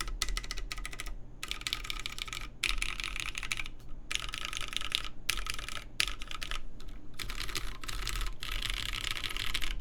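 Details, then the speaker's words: Baron Boards BP One, aluminum full plate, GMK Terminal keycaps, lubed Cherry MX Black Clear Top switches with TX films, lubed Zeal stabilizers: rapid clacks with hollow ring, loudest on top row; case resonance, more audible toward the open back, also on the side modifiers. "But yes, so there you can definitely tell there's an amount of resonance in the case. More audible towards the back of the board, towards the part that's open, and towards the top row really, where there's a lot more space below the keys."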